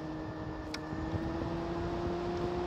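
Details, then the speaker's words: 12 V fan powered by a Jackery 290 power station: an even motor buzz with a steady hum edging higher as the fan is turned to full speed, with no rattle or scrape. "you can hear the fan buzzing i'm turning it up you can see the output went up because i turned the fan all the way up"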